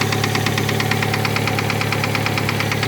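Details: 2007 Hyundai Tucson 2.0 4WD at 210,000 km idling with a sharp regular metallic knock about three times a second from the top of cylinder 1. It began after a valve cover gasket change and a brief rev to 3000 rpm; owner suspects an exhaust valve not seating, cleared after gentle low-rpm driving.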